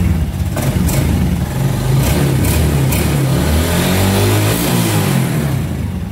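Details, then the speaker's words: Used bike for sale at a used bike shop, about 33,000 km, revs up cleanly with a very responsive throttle and settles quickly; smooth, even exhaust note with no knocks or rattles, healthy engine. "Ga nó rất là lanh nha các bạn."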